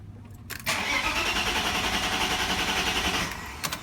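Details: E36 BMW after automatic-to-manual swap, shakedown retry three weeks after failed first attempt, fuel barely in tank: short crank, clean catch, steady even idle for a few seconds before shutoff; six starts and runs smoothly.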